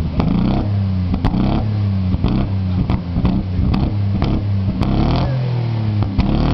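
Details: Ford Sierra XR4x4 twin turbo revving with sharp, irregular cracks and pops about once a second and flames from the exhaust; misfire with exhaust backfire.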